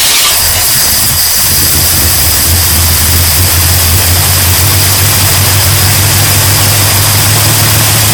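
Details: 1972 GMC Sierra Grande truck with replaced engine, first start in 9 years after fuel system work, new gas tank, and priming oil and fuel: brief crank, then a steady, even V8 idle with no knock or miss; normal idle.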